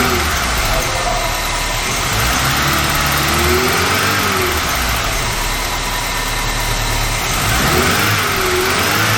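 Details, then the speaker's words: VW Mk3 with 2.0L ABA engine and 5-speed manual, abandoned non-runner, first start after fuel pressure build-up: surges and stutters unevenly when revved, check engine light on, then stalls; stumble when revving, owner suspects fuel issue. "Che my went on then it came off stuttering at um irpm when I was revving it but yeah there's something going on check engine light came on and then the thing shut off all right I'm pretty sure this is a fuel issue"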